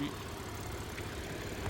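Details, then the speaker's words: 2013 Audi A6 3.0 TFSI quattro at idle: uneven, lumpy low rumble with irregular pulses, heavy noise and vibration; owner reports slight shudder at steady speed, with coolant overheating traces and oil leaks also seen; rough idle, cause not pinned down. "소음과 진동이 심하고 냉각수 오버히트 흔적도 있고 누유도 보입니다."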